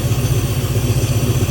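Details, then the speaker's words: Old-body-style truck after new fuel pump install and fuel-line adjustment: deep, loud, raw chuffing idle pulsing about eight times a second; catalytic converter cut off, owner guesses it was clogged. "And then the exhaust, I'm guessing they had like a clogged up catalytic converter and they cut it off. That's why it sounds like an"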